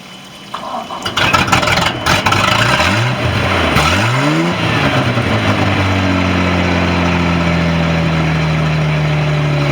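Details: Boat engine winterized and fogged in 2018, first start in 2025: cranks with pumping throttle, catches and settles into steady even idle after a couple of blips, smoke from fogging oil; started right up, normal idle.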